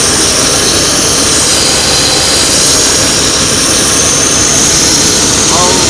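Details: 1993 Mercury Cougar engine idling under a loud, steady high-pitched hiss that drowns out the motor; massive vacuum leak, car also in for water pump and weak heat.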